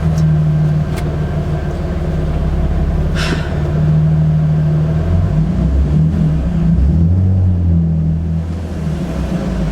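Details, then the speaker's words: Nissan 350Z after throttle body and MAF cleaning and idle relearn, which fixed stalling above 1,500 rpm: deep steady note climbing and settling through throttle blips without dying, no check engine light; normal revving. "it works it works i [ __ ] fixed it throttle body okay so okay so no check engine light and uh we're revving all the way up"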